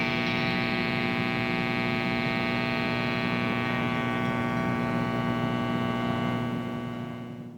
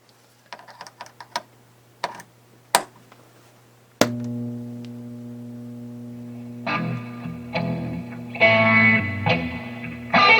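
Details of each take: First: 1979 Fender Super Twin Reverb, input jack number 1 dead: only steady mains hum with slight bleed-through, no signal passes; fault in the input jack circuit. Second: 1979 Fender Super Twin Reverb after input jack repair: clean, full guitar notes and chords come through strong with only faint hum; input jack number 1 working again, amp running normally.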